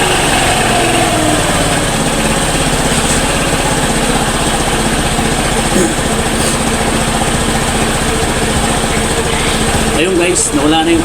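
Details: Motorstar Easyride 150 motorcycle after repair of misfire blamed on spoiled old gasoline: steady, even single-cylinder idle with no stumbles or skips, engine firing cleanly.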